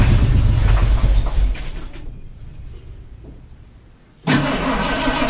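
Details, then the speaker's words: 1978 Ford Bronco, first start attempt after two years sitting, weak battery: cranks and nearly catches with uneven clattery chuff, dies, then fires roughly; fuel possibly just arriving, suspected not confirmed. "um almost it's a little clattery [Music] it sounds like it may have gotten fueled up to the ball now or something"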